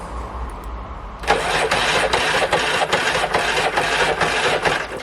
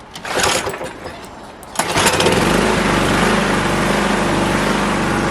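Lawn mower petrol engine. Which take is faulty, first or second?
first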